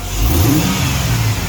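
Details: 1951 Chevy Bel Air with 1999 5.3 LS swap, after clogged number seven injector found and full set replaced with 24.8 lb/hr injectors, stumble gone: quick clean throttle blip, deep smooth pull, no stumble or misfire; normal rev.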